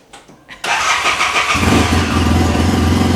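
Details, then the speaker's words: 2014 Arctic Cat Wildcat Sport 700 twin with new spark plugs fitted after one plug was found fuel-soaked and fouled, leaving it running on one cylinder. Brief crank, catches at once, then a steady, even idle: normal start and idle. "I put them in as soon as I put them in I start it right up nice oh that was easy enough"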